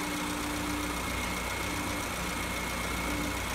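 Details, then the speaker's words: Petrol car idling with a steady, even hum and no knocks or surging, at normal idle of about 875–900 rpm after adjusting the electronic idle valve screw that had loosened and raised the idle speed. "Şu anda aracımız normal çalışma devrinde çalışıyor"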